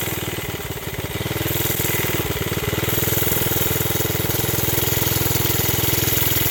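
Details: Briggs project small engine, owner says carb at fault: quick chuffing beat near 200 per minute dips and climbs and never settles into a steady idle. He tried a spring under the seat to settle it, without success. Surging, hunting idle.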